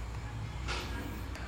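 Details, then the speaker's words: Fridge with light on but not cooling: compressor starts and hums steadily with no knocking once the thermostat is bypassed with a jumper, so the fault lies in the thermostat/temperature control. "oke di sini sudah saya Nyalakan dan untuk mesin kompresor sudah hidup nah ini kalian bisa dengar ya untuk mesin kompresor sudah hidup ya"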